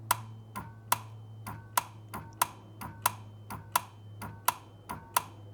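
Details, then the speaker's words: Solenoid isolator relay in a simple dual battery setup, ignition repeatedly switched on and off: sharp, evenly spaced clicks about every two-thirds of a second over a low hum. Relay snapping in normally. "Let me show you what this relay sounds like when the ignition is going off and on."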